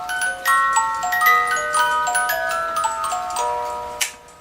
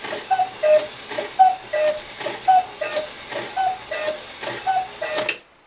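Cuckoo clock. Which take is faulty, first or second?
second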